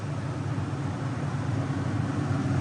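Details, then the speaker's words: New Houghton rooftop AC for a truck camper, bench-tested on the ground before install: low, smooth, even whoosh from the top fan blowing strong, no rattles, ticks or grinding; surprisingly quiet, works fine. "it's surprisingly quiet you can hear the fan on top it's blowing strong"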